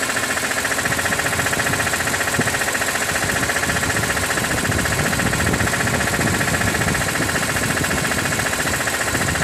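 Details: 2006 BMW E46 M3, 42,600 km, warm idle with oil temperature above 80°C when the noise starts: steady idle with a quick regular ticking about three to four per second; owner unsure of cause, wonders about oil pump.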